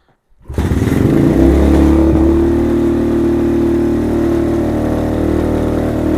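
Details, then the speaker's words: Venom Thunder 125cc dirt bike, Nibbi carb with fuel enricher used as choke, cold kick start: catches at once, quick rev, then settles to a steady, even idle with no misfires or knocking; healthy cold start. "Boy, this thing sounds good."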